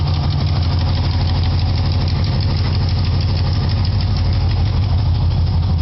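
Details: 1976 Chevy Nova, 327 (L28-stamped block) V8 with headers, Edelbrock 4bbl, TH350: sharp ticking about three a second at a deep idle, an exhaust leak at the header base from a hole still to be welded shut.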